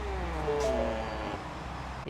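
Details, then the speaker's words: 2019 Mustang GT in accessory mode: short high squeaks over the power-seat motor hum as the seat moves, the leather rubbing against the center console; it happens only in summer. "yeah you guys hear that the seat is annoying it only does it in the summer and the winter time is completely fine"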